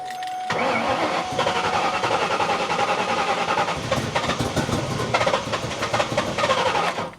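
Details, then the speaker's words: Mustang engine being revived, with the IAC held in place by hand and MAF sensor plugged in, cranks, catches and runs ragged and uneven for a few seconds, then dies without holding idle; cause unconfirmed. "All right, it didn't like that."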